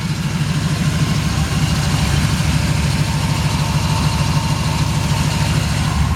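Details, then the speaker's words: 1973 Chevrolet Camaro V8 with a mild cam, long-tube headers, an Edelbrock carburetor and a new starter: a deep, even burble with a slight lope and no knocks or misses, a normal healthy idle with good throttle response. "It's got excellent throttle response. Engine runs fantastic. It's got a nice looking engine detail. You can just hear the engine runs great."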